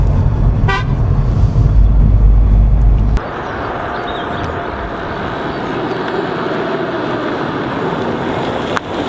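A loud, steady low horn blast for about three seconds, then cabin road noise; the horn works properly.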